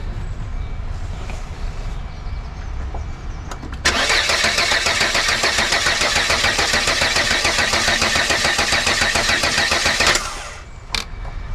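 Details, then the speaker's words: Volvo 480, test spark plugs fitted: starter cranks steadily about six seconds at three to four turns a second, never fires, fuel smell; test confirms no spark. "Okay, exactly as I thought. We have no spark. So, that's what's wrong."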